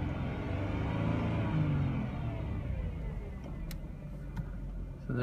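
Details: 2006 Chrysler Crossfire base, manual, 91,000 miles. A wavering "wah" whine over the engine rumble, from the engine bay, pitch and loudness varying with rpm; cause unknown to the owner.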